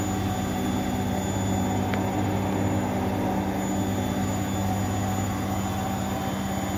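Steady, even drum rumble with a smooth motor hum and no knocking or scraping; the washer is spinning normally.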